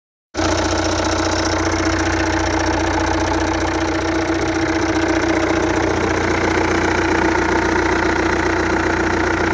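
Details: 2.0 TDI CAGA diesel at idle: loose, uneven knock roughly three to four times a second over the diesel clatter; knocking, cause unknown.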